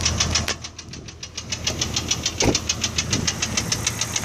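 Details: Engine idling with 40 psi oil pressure, under 210°F: sharp, even knock about 3.5 times a second from the center of the motor, seemingly from below the intake, began as a lifter tick, fades at higher rpm, slaps on deceleration; worn cam lobe suspected, unconfirmed.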